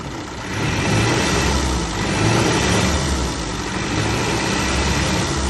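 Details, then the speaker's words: 1934 Austin Seven Ruby, bought non-running at auction, first start after revival, a few leaks: old four-cylinder settles into steady even idle, no misses or knocks, keeps running on its own; normal idle. "this that engine sounds absolutely lovely wow that's lovely our non running project is now a running"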